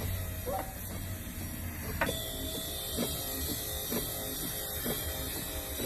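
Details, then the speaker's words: Wiper motor on a 2007 Ford E250 cargo van after repairing the linkage retaining clip on the motor shaft and reinstalling the motor; a steady electric whir with an even soft tick about once a second, run on high speed. Normal wiper motor operation. "Plug up your wiring harness and then turn it on and test it out. As you can see, I have turned it on here to test it out. I will run it on high speed for about 10 minutes before I reinstall the covers."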